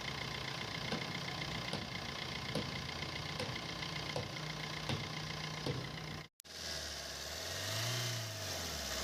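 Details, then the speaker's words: Maruti Suzuki Swift VDI diesel idling after replacing the dried-out AC compressor bearing that had made a grinder-like noise: even clatter with light regular ticking, no whine or rumble from the belt side; healthy. "और start होने के बाद में जो पहले चीज जो आवाज आ रही थी वह अभी सैंपल नहीं है"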